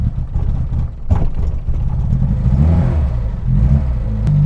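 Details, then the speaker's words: Reliant Robin MK2 Anniversary Edition driven shortly after a hard cold start, not fully warmed up. A low drone surges and dips with a stumbling, stuttering beat, though it pulls relatively well. It runs rough; owner suspects timing and carb, possibly just cold. "Well, the engine feels like it pulls relatively well, actually. There's a lot of stuttering, but again, it's not fully warmed up yet, so that might be the reason."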